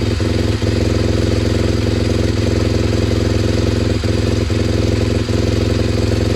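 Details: SWM RS125R single-cylinder 125 at 9,564 miles, idling just after top-end rebuild (valves, timing), no coolant pipes connected: even steady beat with a faint light jingle on top, black smoke burning off assembly oil; normal idle.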